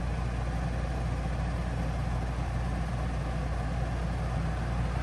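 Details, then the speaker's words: Coleman Mach 3 NDQ rooftop RV air conditioner on low cool: constant low hum and fan rush; fan noise similar to the Truma, but compressor vibration is noticeably louder; normal compressor running. "So I am going to say that the fan wind noise is about the same, but the compressor vibration and hearing it work is quite a bit louder on this model than the Truma."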